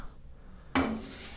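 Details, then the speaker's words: LG WT7800 direct-drive top-load washer, agitator spun by hand with lid open: short dry scraping grind, agitator shakes and wobbles because it is not connected to the drive, so washer will not sense load; loose agitator grinding. "like this, and it shakes and kind of moves all over the place, not really sturdy. That means that your agitator is not connected, which it will not allow it to sense."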